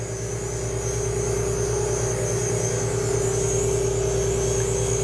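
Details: Valve refacing grinder cutting three to four thou across the whole stone to correct a distorted valve face: steady, even grinding hum with constant mid-pitched ring, no surging or chatter; cutting normally.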